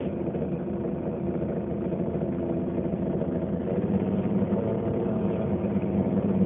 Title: LG Dishwasher making noise